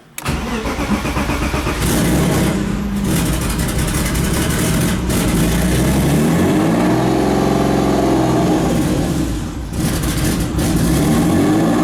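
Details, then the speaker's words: Turbo BMW E36 (72mm KKK turbo, KDFI ECU) started cold inside the car: idle sags and climbs in slow waves; owner attributes idle surge to a vacuum leak, says it calms once warm; coolant low with suspected air bubble. "There's a good old vacuum leak. Don't mind how it's idle surging right now. Obviously there's a vacuum leak, but it does calm down once it warms up."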